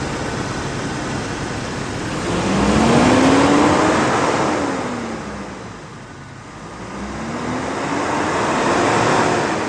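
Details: 2001 Jeep Cherokee XJ, 4.0L straight six, automatic, 73k miles, start-up: steady, even note rising and settling smoothly with no knocks or ticks; runs great, good oil pressure, no overheating.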